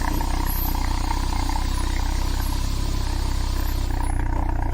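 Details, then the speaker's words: Citroen BX during revival, engine running with the car in the air, exhaust sooty from diesel, breather system off: deep, heavy, throbbing tractor-like exhaust note at steady idle, louder than before; loud exhaust drone, source not yet traced. "That exhaust sounds louder than I remember. Ooh, I'm not sure I like that."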